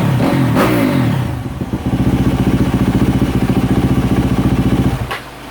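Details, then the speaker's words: 2024 Yamaha YZ450F single-cylinder at about 75°C running temperature after overheating repair, idling to see whether the head gasket holds; no trouble codes. Fast, even thumping idle, steady, no knocks or misses; healthy. "all we need to do is get it nice and warm about running temperature and um let her sit for a few minutes and see if the head gas get hold"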